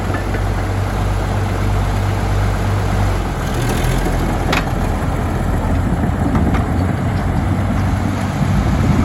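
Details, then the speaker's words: 1951 D8 2U dozer diesel, sitting in a barn since about 1990 with the big motor once stuck, running on its own power for the first time since: a deep, even low rumble with no knocks or misses, sounding healthy. "that's the first start since they're pretty sure it's been like 1990 was the last time it runs so that was a major achievement there to get it running on its own power"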